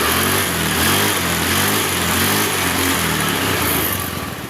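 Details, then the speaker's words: Honda Scoopy FI scooter that suddenly ran rough and would not move, after CVT repair of a broken part: loud steady engine note with rear wheel turning freely, no slipping or grinding; normal CVT drive. "Dan alhamdulillah untuk motor yang tidak bisa berjalan sekarang sudah berjalan, Teman-teman."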